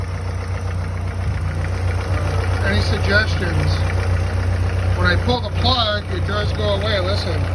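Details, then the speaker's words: Chrysler 2.2L turbo four-cylinder, hot idle, piston 4 replaced after broken ring land: light steady knock about two a second, tone unchanged with throttle, oil pressure fine (60 psi hot); owner suspects piston slap or wrist pin, not rod knock. "This is at idle when it's hot. It's not a rod knock because it does not change tone when you give it gas."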